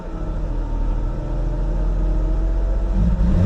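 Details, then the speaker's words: Auction car being checked on a walk-around, watching the rpm gauge. Revs climb, then briefly hesitate and drop out before picking up when the gas is hit, repeatedly: misfire under throttle. "oh wow did you hear that misfire when i hit the gas they did it again"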